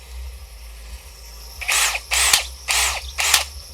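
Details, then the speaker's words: New AEG BSB18BL-0 cordless drill running free at no load: sharp, rattly knocks about twice a second, unevenly timed, as if something is smacking inside and not holding speed; cause unclear. "it's like has got that much power that it just sort of doesn't do the speed line not always in speed too it's almost like something's smacking away inside it isn't it"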